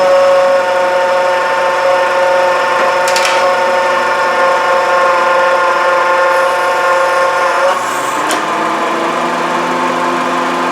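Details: 2011 Honda CR-V at idle, located with a long stethoscope probe down at the AC compressor: a loud, whirring racket audible over the radio, and the pitch changes sharply as the compressor cycles on and off. AC compressor bearing noise.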